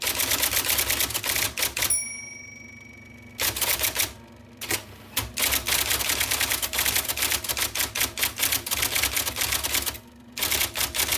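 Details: 1979 IBM Selectric II (non-correcting) electric typewriter, revived after cleaning, lubrication and plug rewiring: crisp quick type-ball keystroke clatter in bursts, short pauses, brief motor hum on carriage return; normal, healthy typing operation.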